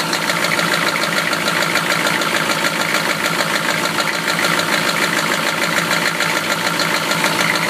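A sharp, steady metallic knock at idle, roughly one or two a second, ringing over the engine note; a classic rod knock.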